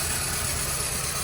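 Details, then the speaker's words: 2001 Ford Ranger 2.3 L with code P0171 (too lean), idling: a steady low idle with an uneven, wavering beat and hissing. A large vacuum leak, traced to the intake manifold rather than the throttle body, causes the rough idle. "we have a leak um eva lick so and the car is running really rough so let me show so as you can hear and see we got a a large invade league"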